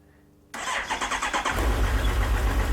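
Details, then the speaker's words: Suzuki GSX1250FA motorcycle with a 5-year-old battery at end of life, started in neutral: about eight heavy, labored starter strokes, longer than its normal instant start, then it runs rough before settling to idle. Bad battery, to be replaced. "you can hear that how it's not running right and now it's running okay that's the symptom I'm talking about that I know the battery is bad also you heard how long it took to crank"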